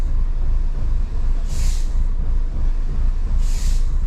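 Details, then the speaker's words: 2008 Mini Cooper (year uncertain) that won't accelerate: uneven, stumbling rough idle from a heavy misfire and visible shaking, with no fault codes stored. Brake pedal and voltage check fine; DME internal fault suspected. "ahí empezó a fallar otra vez está fallando está fallando muchísimo eso me preocupa"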